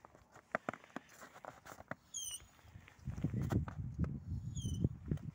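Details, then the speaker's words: Lada Vesta front right wheel squealing while driving at any speed, even without braking, wheel jacked and turned slowly: short high chirp about every two and a half seconds; brake pad spring scraping disc. "едешь даже не при торможении а просто спокойно хоть тихо хоть быстро прям противный писк надо посмотреть что это как будто камушек попал между защитой диска или между колодками"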